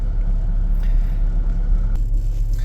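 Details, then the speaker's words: 2003 Mazda MPV, hot, with AC on and long-term fuel trims at 12.5/10.2 showing it running lean: low idle that surges up and down and runs badly, stalling when the throttle is pressed. Rough idle attributed to the throttle body. "so you can see it's going up and down and it's it's idling now but it's running pretty bad"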